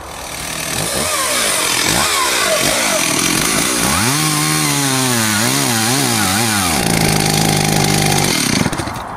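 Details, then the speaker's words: Stihl 038 AV Super chainsaw that cuts well held vertically but cuts out when turned on its side for a felling cut: two-stroke revving and bogging under cut, pitch swinging unevenly; stalls when tilted, cause unknown. "It cuts perfectly that way, but as soon as I turn it into that position and do a felling cut, then it cuts out."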